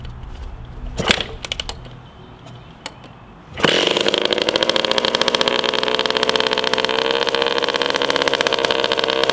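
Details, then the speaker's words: 1981 Suzuki RM125X two-stroke garage find, first start after sitting, expansion chamber with a big hole fitted: fires after a few seconds, settles into a harsh, raspy, crackling buzz; exhaust leak from holed expansion chamber. "success yeah I know there's a big hole in it just want to hear it pop off let's just see if it'll pop"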